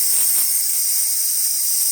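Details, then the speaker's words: DeLonghi Dinamica espresso machine after full service, steam wand warmed up; strong steady high-pitched hiss, no sputtering or pulsing; full, even steam as it should. "Again, it's still getting warmed up, but after a while, it starts steaming"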